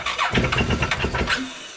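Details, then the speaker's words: 2014 Massimo MSU 800 UTV, hard starting with IAC and low-voltage codes, loud noise that grew worse; on start, uneven labored thumps then stall as the number two cylinder locks up. "you hear that yeah so what's happening is the number two cylinder is locking up"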